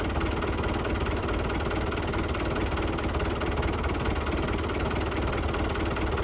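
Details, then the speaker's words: Lifan 7hp GX200-clone engine on a Frontier OS18 sawmill after replacing a blown head gasket from a loose bolt and setting valve lash: steady even running, quick regular exhaust beat, no knocks; normal running with full power. "it struggled too much, and seemed to have lots of power. Sounded okay too, so I think we got that figured out."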